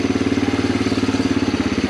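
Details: 1987 Honda TRX250 Fourtrax, sat about 10 years, after carb work with a temporary tank: crisp, even putt-putt at about eleven beats a second, no misses or knocking; normal idle.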